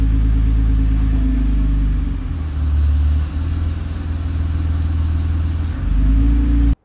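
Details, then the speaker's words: Nissan R35 GT-R at creep with transmission touch points set too high; smooth idle turns into a deep, uneven low rattle as the engine lugs, then recovers, not a bell housing fault. "you hear that noise? That rattle? Anytime anybody hears that rattle, they think it's a bell housing. It is not. It is the engine lugging due to excessive uh touch point uh preferences."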